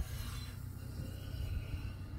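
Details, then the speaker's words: Boat trailer for a Four Winns Horizon 240, on jack stands after new bearings, races and seals and smoking on the drive: hand-spun wheel gives low steady rasping rub of brake pad dragging on the rotor. "that's the cow that's the brake pad rubbing so they spin nice"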